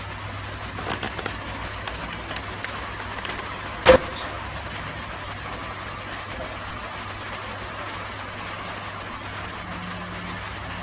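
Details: Hatari HB-T16M2 fan while oscillating: low steady hum with a sharp clunk as it swings, returning about a month after the genuine oscillation gear was replaced; the blade also hits the guard when the loose head is lifted.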